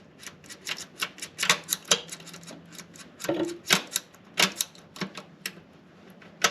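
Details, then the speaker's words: Suzuki DR350S after fixing hard-to-find neutral and jumping out of gear: crisp, distinct clicks as gears are shifted by hand, each detent snapping in cleanly; neutral now solid and easy to find. "Oh yeah, solid. Very easy to find neutral now."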